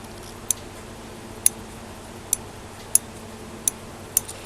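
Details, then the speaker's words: Refurbished Daiwa DR-7500 antenna rotator run with a DC-7011 controller, recorded close up. Six crisp limit-switch clicks about a second apart, each switching the motor off about 1 mm before the end stop; correctly adjusted. "hear the limit switch clicking in. About 1 millimetre before. You can have 2 millimeters, whatever, as long as it's turning the motor off before it hits the end stop."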